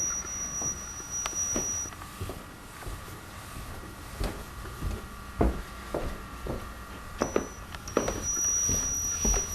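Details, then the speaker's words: Canon DC100 DVD camcorder recording to DVD, with earlier disc-recording trouble: thin, steady high squeal that comes and goes over a quiet room with light drive ticking; high-pitched squeal whose source is unclear. "It doesn't record stupid. That was an interesting noise. That sounds great."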